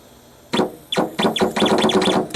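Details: Stepper motor driven by PlanetCNC MK3/4 control board and software, jogged from a laptop. It moves in uneven bursts of sweeping, whistling tones instead of running quietly and smoothly: abnormal whine and erratic motion, an unplanned effect from an earlier change.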